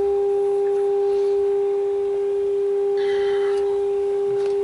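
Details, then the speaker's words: 1930s Philco 112-B AM radio tuned off frequency near 1400 during RF alignment: a steady high whistle with a fainter overtone. Owner wonders whether the stage under the cover causes it and is trying to get rid of it. Oscillation squeal. "because i think nope yep that is get rid of that squeal if we can"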